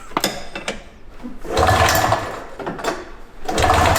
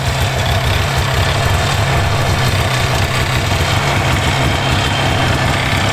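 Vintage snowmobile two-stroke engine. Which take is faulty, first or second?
first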